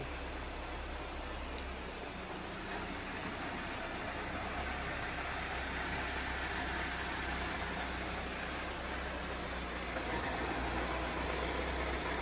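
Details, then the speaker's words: Toyota AE86 with factory exhaust at idle: light, fast metallic rattle from the exhaust heat shield. One bolt is left off, and the shield is suspected of rubbing a nearby arm. Suspected exhaust heat shield rattle. "You can hear that rattling. That's the exhaust. It's the exhaust shield. I still haven't. There's one bolt that I didn't do on the exhaust shield, and I think it's just rattling."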